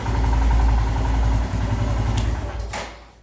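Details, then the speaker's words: Royal Enfield Himalayan at running temperature, idle screw on throttle body turned clockwise to set idle back to about 1250 rpm (spec 1250±50); steady single-cylinder thump at smooth, even warm idle. "now I'll bring it back and to do that you start rotating it clockwise until you get the right rpm so yeah rpm is again at about 1250 as you can see"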